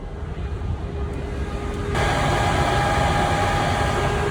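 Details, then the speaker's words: 2015 Dodge Promaster 2500 found with a drained battery and no start, new battery fitted: radiator cooling fan roar steps up about two seconds in and stays on high speed even with the key out. T06 high-speed relay pulled, fan still ran. "Notice that the fan would stay on, the cooling fan would stay on high speed. So the cooling fan would stay on high speed even with the key out of the ignition."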